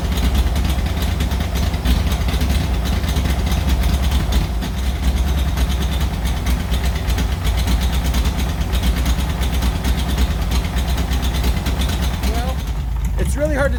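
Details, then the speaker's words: 1940s Oliver 70 tractor, first start in about 12 years, choke worked by hand: loud, lumpy low idle with an obvious misfire. Very old plug wires are suspected, plus points and condenser; it needs an ignition tune-up. "the carburetor when you have such an obvious misfire um I don't know I mean as you can see these buug wires are extremely old they should be replaced"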